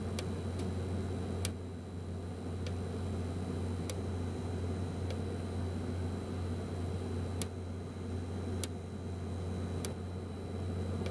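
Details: be quiet! Dark Power 12 1000W power supply after 40-60 minutes under heavy load: steady low fan hum with sharp random clicks, singly or in short series with random pauses. Faulty PSU; the RMA replacement runs fine.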